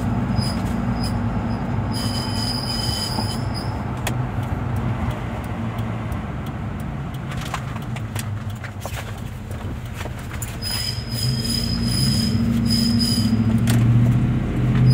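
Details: 2007 Ford F-150: loud, thin, pulsing screech seemingly from the rear passenger wheel, triggered by turning, over a low driving rumble; cause unconfirmed.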